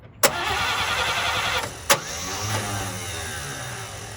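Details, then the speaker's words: 1954 Chevy, bought sight unseen: the starter clunks in and the engine spins over steadily but never fires; no spark even after reworking the plug wires many ways, though it turns over great. "I have not got spark, even when I've changed everything around 10 different ways, so I'm not happy about that. But it's turning over great, so I gotta have something just kind of out of whack."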